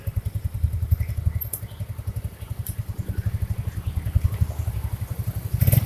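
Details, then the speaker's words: Early Yamaha Mio scooter, CVT area, after fixing a rough scraping noise from the CVT cover: even low pulses about ten per second with no grinding or scraping at throttle; the noise is gone, drive runs smoothly. "Motornya digas melayu, geser sandarnya. Wis bok aman, nggak bunyi lagi."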